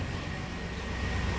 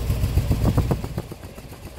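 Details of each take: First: 1997 V8 work truck after replacing the non-delivering cylinder-two injector, heard at the tailpipe: even, steady exhaust rush with no stumble or popping; the misfire is gone. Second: 1997 work truck with no fault codes and a strong fuel smell: uneven, lumpy idle with pulses stumbling and dropping out; dead cylinder, as the number two injector pulses but delivers no fuel, so a new injector is needed.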